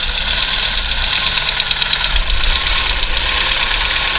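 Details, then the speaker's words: Audi TT MK1 under restoration, first start: uneven ticking clatter over a rough, stumbling idle; owner hears a knock and suspects one ignition coil, planning to unplug it to test. "un claquement j'ai l'impression que ça vient de quelque part par là là je me demande même si ça vient pas de cette bobine"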